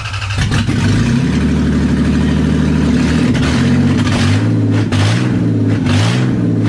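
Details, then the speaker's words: Toyota 1MZ 3.0 L V6 from a Camry swapped into a 1991 MR2; it catches quickly and settles into a strong idle, then revs rise and fall cleanly with no misses or knocks; a healthy V6. "yeah holy crap was wow that's very pety and very you me yeah I know wow okay I think that was a job well done it runs it does"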